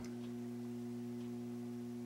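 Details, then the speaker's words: Vintage RCA MI-12182-A theater tube amplifier during bias adjustment, specified at 28 mA, with one tube at 24 mA being raised: a steady low mains hum that fades as the output tubes come into balance. "you hear the hum departing yeah so as we get there I went just a little higher because I heard the hum go even further down I'm suspecting that really means that tube is the tubes are both balanced now"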